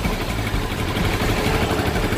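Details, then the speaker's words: Yamaha Vixion (old model) that died suddenly on the road, after cleaning the corroded ignition-key socket: starts normally and holds a steady, even idle with a constant low rumble, no misses or knocks; fault was the key socket. "kita starter motor hidup normal ini berarti yang masalah tadi ya soketnya itu kunci Kontaknya nggak papa"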